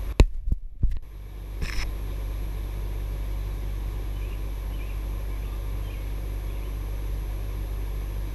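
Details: ICP 3-ton 5-speed inverter heat pump, newly installed, ramping up after the living room thermostat was turned on: a few handling clicks, then a steady low hum holds evenly, normal smooth running.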